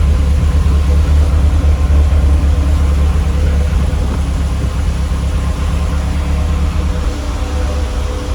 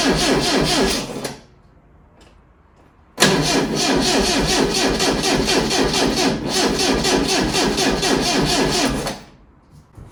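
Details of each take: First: Lotus Elite revived after ten years in a barn, after cleaning its carb chambers and adding fresh fuel. Still cold, with good oil pressure and vacuum working. A steady, even, low idle rumble with no knocks, misses or rattles. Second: Lotus Elite laid up ten years in a barn, first start attempt: two bursts of fast, even cranking about two turns a second, never catching; crank no start.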